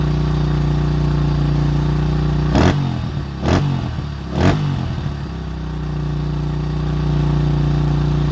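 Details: 2005 Honda CRF150F California street-legal version, brought in as won't start, low compression, previously only ran high with no idle; after valve adjustment and carburetor tune-up, idles steadily, three quick throttle blips return to even idle; runs clean.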